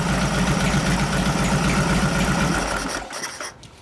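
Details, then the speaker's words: 1989 Harley Softail 93ci panhead with rebuilt, rejetted Mikuni HSR42 carb, mixture screw about 1.5 turns out: quick regular beat revving up and trailing off with no popping, gurgling or stumble; fuel curve good, no rich exhaust smell. "Now, as I was revving up, I listen to how the fuel curve is as you're going up and down through the RPM range."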